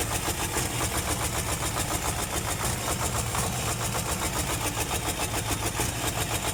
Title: actros Mercedes Benz automatic hard starting, problem